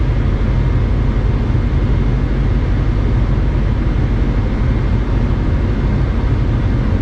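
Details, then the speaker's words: 1996-2000 Honda Civic LX D16Y7 after cleaning the idle air control valve, heat on full while warming up; deep, even idle that drops down with no hunting or stumbling, whereas before it stumbled and stalled. Normal idle. "at this point I'm going to call it a success cuz before it would be stumbling all over the place by now you see it idling down"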